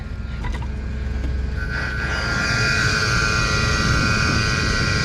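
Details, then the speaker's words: Trane air handler blower motor in a retail store stockroom: loud steady drone with rough grinding edge and high whine on top, unchanged throughout; worn bearings, motor being replaced. "something going on with this motor, as you can hear."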